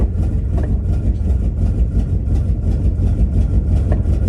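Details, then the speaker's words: 1984 Chevy C30 crew cab dually, 454 big-block with Quadrajet carburetor, cold in snow at high idle: deep V8 idle with uneven lumpy pulse and irregular stumbles about three a second; owner suspects bad plug wire or plugs. "It's got a hell of a mess. I think we got a bad plug wire or plugs."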